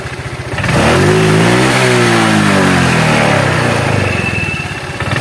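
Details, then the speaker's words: Honda Vario 125 that once ran dry of oil, smoking and burning oil fast with a stuck oil control ring: engine revs then crackling rattle as throttle closes, suspected from the variator roller area. "ada suara kepericik ya pada waktu Los gas nah ini suaranya kedengaranik kayaknya suara rumah roller"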